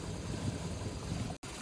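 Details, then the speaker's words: Carbureted boat engine after running around the lake, warm, with low vacuum and a bouncing gauge needle. Low uneven idle that lumps and wavers with a brief dropout. Rough idle; cause not identified, and earlier fixes failed. "And here it is after running around the lake a little bit. You can see low vacuum, needle bouncing. Yeah, sounds like garbage."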